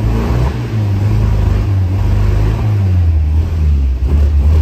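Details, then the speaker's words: 1957 MG MGA first start after many years in storage, with stronger spark coil wiring: low lumpy note rising and sagging, won't idle unless throttle pumped; later idles after warm-up and idle screw turned up. "now it doesn't want to idle on its own yet I have to keep pumping the gas get it revved up"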